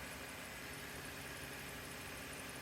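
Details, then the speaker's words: 2009 Subaru Tribeca (crank, no start) with a newly installed fuel pump, mic right at the pump: a steady whirring hiss, likely regulator bypass flow, over an even churn. Normal fuel pump operation. "I think that's the bypassing from the regulator you hear there flowing but the mic is right up on it there but you can hear this pump churning"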